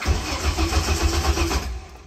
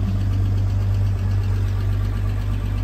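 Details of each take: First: 1980 Toyota RN30 Hilux 4x4 fitted with a Holden 186 engine (originally 18R), revived with little fuel in the tank: rhythmic starter chugging about five pulses a second for a second and a half, then dies away without catching; cranks, no start. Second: 1980 RN30 Toyota Hilux 4x4 with swapped Holden 186 six, first start, cold; deep, even six-cylinder burble at steady idle, no misses or knocks, healthy.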